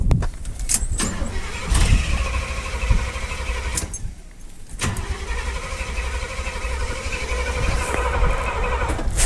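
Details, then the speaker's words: 1979 Chevrolet half-ton square body with carb on a 47-degree day: two long cranking bursts without starting, no fuel reaching the carburettor; timing issue also suspected. "we're not getting any fuel there"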